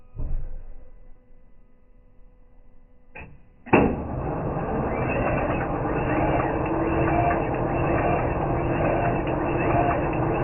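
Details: Kia/Hyundai, possibly running on LPG, codes P0300, P0301, P0302, P0304, misfire on cylinders 2 and 4; idles with an uneven, stumbling beat. Plugs, coils and ECU tested okay; engine itself suspected, possibly mixture/valve trouble from LPG use.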